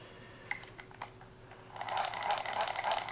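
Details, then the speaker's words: Restored Shakespeare 1795 spin cast reel, cleaned and reassembled: light quick even ticking, about three clicks a second as cranked; normal reel cranking, though drag may be weak, springs possibly worn. "it's working though that's the sounds you want to hear everything's doing what it should do"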